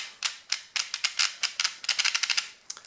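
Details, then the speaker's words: Brand-new Tamiya TBLM-02S 15.5-turn brushless motor with a TBLE-02S ESC in a Comical Frog WR-02CB, correct pinion fitted: sharp, uneven clicking at low motor speed with no smooth tone underneath; fine at high RPM, and the owner is unsure whether it is normal or damage. "On higher RPM it sounds good. It really sounds strange on slow RPMs."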